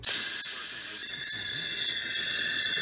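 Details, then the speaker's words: Chevy Monte Carlo after a cylinder head replacement, cylinder leak-down test with the piston not at top dead centre: steady high hiss of compressed air escaping out through the open exhaust valve to the tailpipe. "now if I put my hand you can feel that coming in the exhaust p well the thing's got to have a tail pipe"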